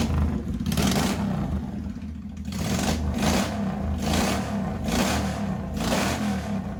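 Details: 1985 Honda VT1100 Shadow V-twin, first start in 25 years, enricher off, idle raised after carb work, open pipes without mufflers. Lumpy, uneven idle with a louder surge about once a second. Rough idle, carbs not yet balanced.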